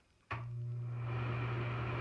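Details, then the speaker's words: Bathroom ceiling exhaust fan that hummed when switched on, after its motor was replaced: click on, then steady low hum and soft airflow, powerful and quiet, no strain or bearing noise; normal fan running. "and there you go nice and Powerful quiet"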